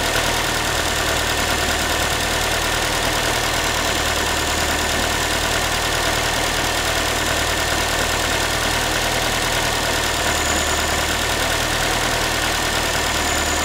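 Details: Ford Focus 3, 1.6 engine (125 hp), steady idle after a cold start: a thin, tinny, pan-like metallic rattle sits on top of the engine note. The owner is asking what it is, and the source is unclear.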